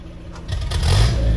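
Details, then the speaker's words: Land Rover Series 3 after installing a PCV valve, warm and off choke: low idle then on a sharp throttle stab the revs lag and bog before climbing; hesitation not present before the valve, owner plans to redo timing. "hesitates horribly. And when it was warm, before I put this valve in, it didn't do that. Very strange."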